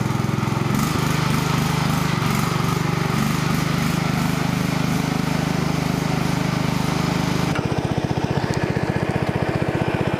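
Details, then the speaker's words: Murray mower engine: a steady drone suddenly loses body and slows into sparse, uneven chuffs as it stalls. It swallowed water, with a glug and a knock, and about half a gallon came out through the spark plug hole and air cleaner. "drank water I know so I heard it glug and then I heard death and a knock all at the same time"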